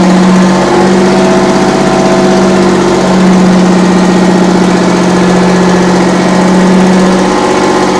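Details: 60-year-old US-imported Massey Ferguson 98 tractor with factory Detroit Diesel GM 3-71 two-stroke, after significant restoration: steady, even drone with constant beat, no knocks or misses; normal running.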